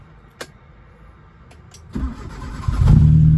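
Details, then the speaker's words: Nissan Sunny B11 sedan with genuine carburettor, good battery, car dusty and unwashed: brief clicks, then the engine catches within a second and settles into a steady, even idle, starting easily with no coolant pressure or steam; normal cold start. "เครื่องติดแล้วครับเครื่องติดง่ายนะครับ"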